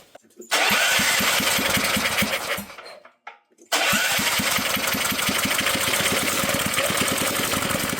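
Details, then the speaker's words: Previously seized auction generator, bowl filled through the fuel line, choke and throttle worked by hand, governor not yet hooked up: uneven fast firing around three beats a second that sags, almost dies and recovers. Rough running, possibly low on fuel. "We might be out of fuel. We need more. Look at that. I can't believe it actually ran."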